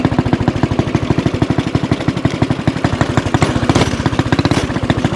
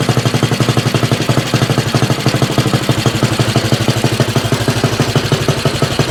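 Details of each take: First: 196cc single-cylinder mini bike with a Mikuni VM22 carb, aftermarket exhaust and governor delete, on a top-speed run: even thumps about ten a second, pulling cleanly and responsively; healthy running. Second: Axis M200 mini bike, 196cc single, 22mm Mikuni carb, aftermarket exhaust, governor delete, cold start before rejetting: loud uneven loping thump about three beats a second; very rich rough idle with black smoke, mid-throttle flat spot.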